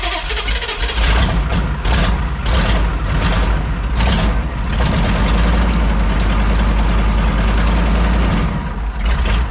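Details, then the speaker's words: 1985 Chevy K30 rollback diesel with a mechanical fuel pump, freshly started on a jump pack after bleeding the fuel filter, idles with a rough, uneven chug and the odd skipped beat; possibly a couple of misfires. "all right got it going sounding pretty good maybe a couple misfires"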